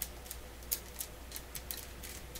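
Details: PYE Columbia Stereo 360 amplifier with intermittent fault: quiet hiss with sharp irregular crackles, about five or six a second, occurring whenever the board is moved; suspected cold solder joint, not confirmed.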